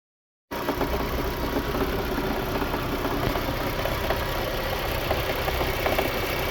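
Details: VAZ 2110 8-valve engine at idle: uneven light knock about four per second over the running note; engine knock, source not yet pinned down.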